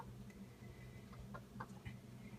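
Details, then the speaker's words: Whirlpool French door bottom-mount refrigerator knocking from its delivery day, several times daily for an hour or more: faint irregular knocks and ticks over a low compressor hum. Whirlpool called it normal. Cause unknown. "So, it's not a hum. It's definitely a knocking. It happens several times a day for an hour plus at a time."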